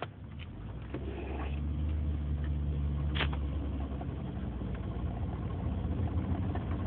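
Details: 2003 Nissan Murano idling with a low uneven rumble plus a few sharp clicks and knocks; owner reports a strange engine sound, source not pinned down.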